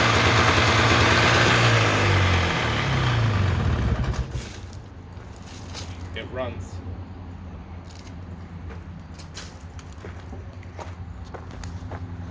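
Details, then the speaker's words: 1993 Polaris Trail Boss 350 two-stroke, sat 10+ years, run on a new plug and premixed gas with the choke on. Carb untouched, oil pump not set, no coolant. Loud, raspy buzz for about four seconds, pitch sagging before it cuts out, then clicks. "Got to fix this, but it runs."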